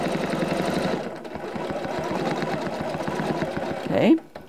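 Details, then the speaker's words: Janome CM17 with Accurate Stitch Regulator in cruise mode: needle keeps ticking fast and even after fabric stops moving, until start/stop pressed; normal continuous running. "I've stopped moving the fabric but that needle still going up and down until I push the start stop button again"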